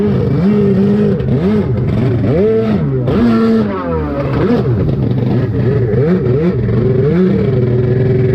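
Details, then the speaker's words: SuperFreak two-stroke watercraft, water testing after the engine rebuild, with the carb adjusted again: revs rise and fall unevenly and hesitantly, running worse than a few weeks earlier in similar weather; cause unknown. "All right, we've tweaked on the carb some more. Let's see if it's running better cuz it is not running as good as it did the other day."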